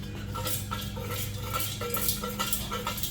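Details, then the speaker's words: Nissan 350Z old exhaust muffler removed and shaken by hand: loose metal pieces clatter and jingle inside from broken internal baffles, the source of the exhaust rattle; being replaced with new muffler with silencer. "yeah you can hear all that floating around inside of there I am just tired of hearing that"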